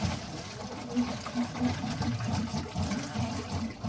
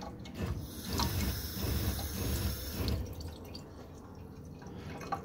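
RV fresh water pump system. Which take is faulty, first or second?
second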